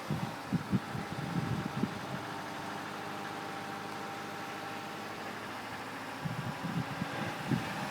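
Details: 2004 Subaru Outback 2.5L DOHC at low idle: faint bursts of rhythmic dull "dugga-dugga" ticking come and go, almost like diesel clatter, and need volume to hear. The cause is unknown.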